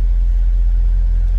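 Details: Mercedes-Benz C 63 AMG, M156 naturally aspirated V8 (P31, 487 cv), original exhaust, idling during charging-system check (14.66 V, controlled alternator): deep steady rumble, no misses, knocks or whine. Normal idle.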